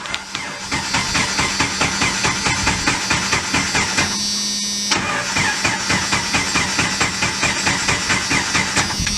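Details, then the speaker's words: 1995 Jeep Wrangler YJ four-cylinder with a substitute used ignition coil fitted: the starter churns steadily at about two beats a second but it never fires; crank, no start, with the coil or a broken wire suspected. "not getting nothing okay guys so against my better judgment I decided to go and get a new coil"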